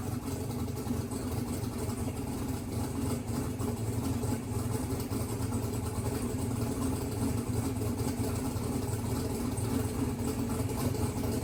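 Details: Mississippi Queen V8 after splicing a pulled-out CDI 600 wire; exhaust pipe very hot. Steady, even idle with smooth low rumble, no knocks or misses. Runs good, good oil pressure; timing still to verify, a couple of fuel leaks to seal.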